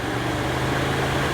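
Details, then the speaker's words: Car radiator cooling fan powered with a test adapter plugged into the fan relay socket: steady low hum with an even whirr, no rattle or scrape; fan wiring and fan motor are good, running normally. "all I'm doing is I'm toggling this way so the wires going to the fan are good and the fan is good as well"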